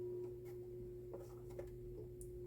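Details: QNAP TS-253D NAS with plastic front cover on: steady high-pitched hum over a low drone from the poorly designed cover vibrating; buzz drops drastically once the cover is removed.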